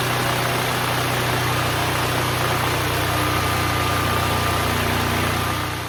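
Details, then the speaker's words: DuroMax XP12000EH Hybrid Elite 12,000 W dual-fuel generator, after spark plug, oil change and carburetor cleaning, under space-heater load: steady, even drone holding constant pitch, no knocks or surging; drops from 63 to 59 Hz, 121 V output, running good. "Right now it's running at 59, putting out 121 volts. The generator is running good."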